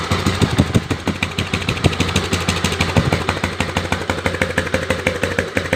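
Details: Twister engine idling with an uneven clatter of ticks, roughly three a second, over the exhaust beat of a single cylinder; abnormal engine noise, cause unclear.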